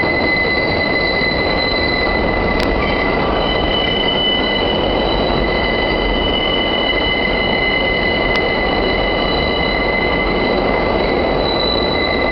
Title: The Excrutiating Noise when the 5 squeals through South Ferry.